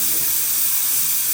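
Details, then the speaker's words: Pressure cooker cooking githeri: steady even high hiss of escaping steam without letup; still pressurized, wait until completely quiet before opening the lid, or release the pressure by moving the knob aside with a wooden spoon. "until it's completely quiet. Then I'll know. But if you're in a rush, you could take like a wooden spoon like this one and just release the pressure like that."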